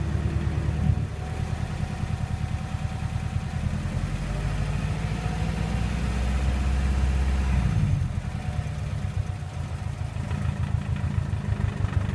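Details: 2007 Subaru WRX at idle: steady low idle with faint buzzy rattle; intercooler Y-pipe making contact with something in the engine bay under idle vibration; intake pipe contact rattle at idle.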